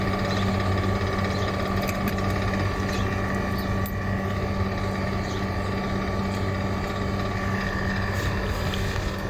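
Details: Water cooler fan motor running: steady electric hum with a rough gritty rumble underneath and faint whine on top, from a bad motor bearing.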